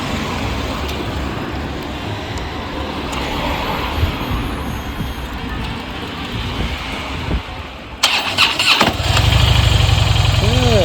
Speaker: okay so it's a cold start it's icy cold okay now let's start it up and see how it is